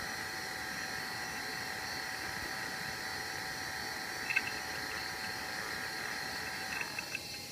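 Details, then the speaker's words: Dell Latitude LS laptop (Pentium III 400 MHz) booting: steady whirring with several fixed high-pitched tones; cooling fan noisy, possibly a worn bearing, though it still works. "As you could hear, the fan is not in the best condition. It has what sounds like it has a worn bearing or something."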